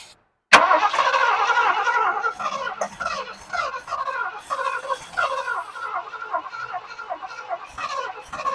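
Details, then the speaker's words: 1979 Lincoln Continental sitting 32 years since 1991, on starting fluid and bottle-fed fuel: engine catches suddenly and holds an uneven, lumpy idle with chuffing exhaust pulses. First idle after long storage. "He's idling, guys. 32 years. 32 years. It's running."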